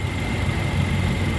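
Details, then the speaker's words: 2012 Toyota Kijang Innova G Luxury, 2.0 L petrol 1TR engine, bay dry with no seepage: smooth, even low hum with a faint steady high whine, nearly silent like a sewing machine, no knocks or misses; idles cleanly. "suaranya nyaris tak terdengar ini masih alus banget teman-teman kayak suara Cuman suara mesin-mesin jahit ya"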